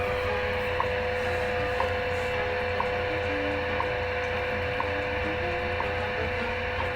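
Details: 1934 Westinghouse WR-24 radio on shortwave, 10 MHz time station, with a new outdoor wire antenna. A faint once-a-second tick is buried under steady low hum and hiss; the hum comes from a reversed ground connection, with laptop noise also present. Reception remains poor.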